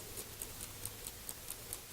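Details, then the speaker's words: Restored dash clock from a 1969 Mustang Grande instrument set (same as Mach 1), cleaned and lubricated with fine clock oil: crisp, even ticking about four and a half per second, sweep second hand running, no stalls; normal clock ticking. "But it does have a nice, second sweep hand that runs all the time. And you always know it's working."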